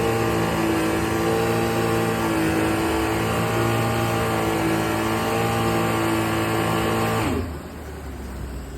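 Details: Sea-Doo 1503 engine after a rebuild (one cylinder resleeved, bored and honed, new pistons, rings, bearings, gaskets), running hot: steady, even drone with constant tone and no knocks or misses, cutting off near the end; healthy running.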